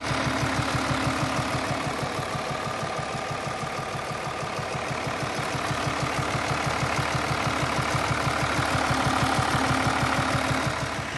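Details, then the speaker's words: 2020 Mercedes S350 inline-six diesel (656) idling with a faint, steady tapping about three per second. Cause is worn rocker arms, cylinder 5 worn low with play; noise minimal and hard to hear. "The noise was very minimal, and it was very difficult to hear and understand what it was, because they ain't too bad. They are worn, but they're not too bad."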